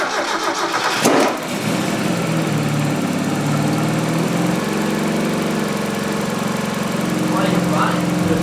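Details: Mazda Miata NA 1.6 turbo (ISR kit) after fitting upgraded fuel pump and new injectors: cranks briefly, catches within a second and settles into a steady, even idle with no misfire; running clean.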